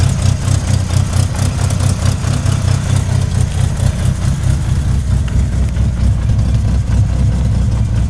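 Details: 1998 Mitsubishi Eclipse RS at idle: irregular low thudding about twice a second under the engine rumble; owner thinks the knock comes from the transmission but is unsure of the source.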